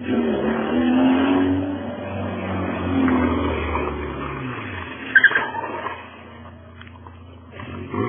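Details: Fiat Uno Fire with a blown exhaust (escapamento estourado): a loud, raspy engine roar that swells and fades with the throttle.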